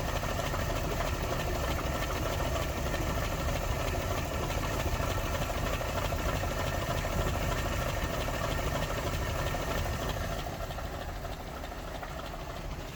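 Engine idles with an uneven, stumbling beat and occasional dropped pulses instead of a steady rhythm; an intermittent misfire, cause not yet known.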